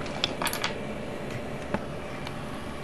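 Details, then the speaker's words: TV-core transformer driven on one channel at about 1,500 V, running off frequency and drawing 14.4 W at 0.2 A. Sharp, irregular pops and snaps over a faint hum: internal arcing, with voltage having broken through a winding. "But yeah, I heard that core in there popping."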